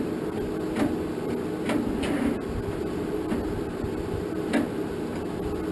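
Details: 1947 Farmall M tractor, first start attempt after rebuild, after charging battery; starter drags the engine over at about one labored compression thump per second, never catching. Switch ruled out; owner suspects battery lacks juice, not confirmed.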